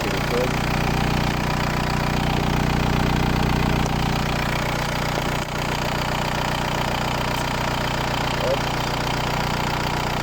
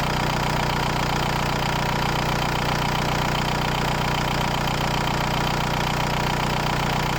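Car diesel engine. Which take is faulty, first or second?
first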